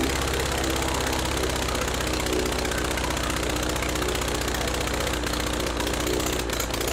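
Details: Praga B2 aero engine, last run 1939, rebuilt and test-mounted on a Vauxhall, with propeller: loud dense steady roar at full throttle, even firing, no misses or knocks, heavy smoke; normal full-throttle run.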